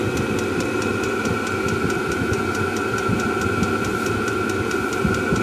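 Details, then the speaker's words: Kroak diesel heater (5–8 kW range) tested outdoors before campervan installation: steady fan whoosh with fine regular fuel-pump ticking, even tone, blowing very hot air and quieter once warmed up; normal running. "après il fait beaucoup moins de bruit voilà là ça souffle vraiment très chaud"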